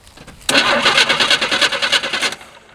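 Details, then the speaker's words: Long-sitting 1978/1980 Chevy squarebody short bed truck being revived, temporary battery after fixing bad battery connections: starter kicks in and turns the engine over evenly and briskly for about two seconds without firing; normal cranking. "all right we've got crankage now will we get fireage"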